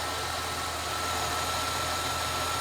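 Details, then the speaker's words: High-kilometre free donated project car on a cold start after sitting about three weeks; smooth, even, quiet idle with no knocks or misses, faint steady accessory whir, owner notes a couple of minor noises but starts and runs beautifully. "what a weapon hey cold start nice and quiet yeah look she's got our issues there's a couple of you know noises here and there but starts and runs beautiful"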